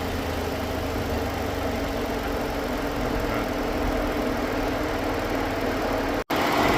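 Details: 2013 Ford Edge with an overheating problem: after both failed radiator cooling fans were replaced, the engine idles smoothly under a steady, strong whooshing fan hum, moving far more air than before; the fans are running normally.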